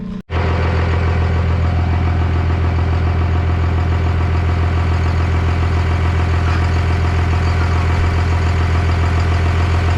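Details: 1998 Dodge Ram 2nd-gen Cummins diesel, first run after the owner fixed his problems, on temporary power and no coolant: catches immediately, steady deep idle with oil pressure and charging, no knocks or misses; normal idle.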